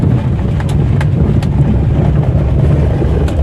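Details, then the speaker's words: Old Maruti Alto on a rough road: rumble with sharp knocks from the suspension, worse on the left side over potholes; shock absorbers or lower arm suspected. "Left സൈഡിൽ ഒരു sound ഉണ്ട് നല്ല sound ദാ കുഴിയിലൊക്കെ ഇറക്കുമ്പോൾ നല്ല sound വരുന്നുണ്ട് കണ്ടോ"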